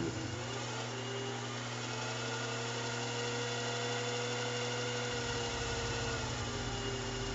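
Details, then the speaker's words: Small milling machine cutting with a 1/2 inch end mill: steady spindle whine drifts up then sags in pitch during the cut; spindle driver board fault, not torque; spindle speed fluctuation. "This is right around where a problem with the spindle driver board started appearing. I know I just finished saying that a 1/2 inch end mill is a little bit ambitious for this machine, but the problem isn't actually the size of the end mill or the torque requirement. There's something going on with the driver board."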